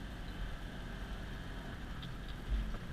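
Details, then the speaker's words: Vehicle with a tight manual transmission, driven at light throttle as if cruising through town: steady, even low drone with no knocks, ticks or misses; normal engine running at light throttle. "But now I'm just giving it just, you know, a little bit of throttle, just like you're putting through town."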